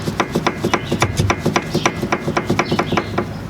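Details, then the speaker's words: Inner tie rod grabbed and pushed back and forth by hand: sharp clunks about three to four a second with visible play; worn inner tie rod, bad and needs replacing. "you just want to grab it and go back and forth if there's play which there definitely as you can hear it you can see it"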